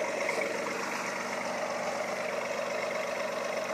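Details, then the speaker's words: V8 engine after rewiring and new valve cover gasket idles evenly with no popping or stutter; the earlier idle misfire is gone. "no pop pop on idle no little stutter misfire on idle"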